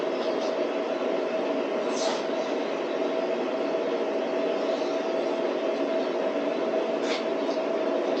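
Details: DIY waste oil burner after further adjustments, making a steady, even roar with constant low hum, no surging or popping; burner firing cleanly, running well.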